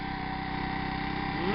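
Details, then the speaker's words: 25 cc four-stroke leaf blower engine on a synthetic fuel formula of about 80% natural gasoline; small single-cylinder idle with slightly uneven thump, a bit more shaking than normal, and the fuel possibly on the verge of 87 octane. "little bit more shaking than normal we're probably on the verge of an 87 octane"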